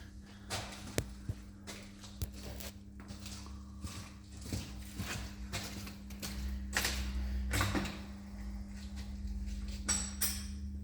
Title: стук в подвеске